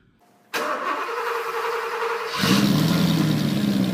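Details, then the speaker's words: 1993 Porsche 928 GTS V8: engine runs with an uneven, lumpy beat as if on half the cylinders, possibly one bank; owner hopes the igniters are at fault, not confirmed. "situation on the 93 is that it's something is is wrong it sounds like it's running on half the cylinders like on One Bank"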